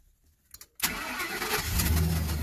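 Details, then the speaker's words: 2007 Ford F-350 Super Duty 5.4L with a no-crank/no-start fault, started with a park signal sent to the PCM: quick crank catches at once and settles into a smooth, even low idle; normal start and idle. "and it starts up because it thinks it's in park"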